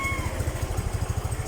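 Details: Rusi Gala motorcycle after top overhaul (new piston, piston rings, valve seals for excessive clearance and oil burning; exhaust cleaned): even exhaust thumps around ten a second, steady rhythm, no misses, no more white smoke; single-cylinder idles cleanly, normal.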